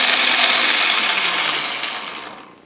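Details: Atlas QC42 lathe gearbox mid-repair, change gears engaged on a test run: busy high-pitched gritty clatter fading as the lathe spins down; too much gear play remains, needing adjustment of the shifter index plate.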